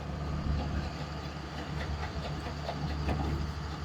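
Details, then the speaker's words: Old diesel excavator, dead over winter, cranking after brief charge on 12 V system: sluggish, heavy starter churning without catching; slow cranking from weak battery, then something arcs out. "I think it needs a little bit more juice."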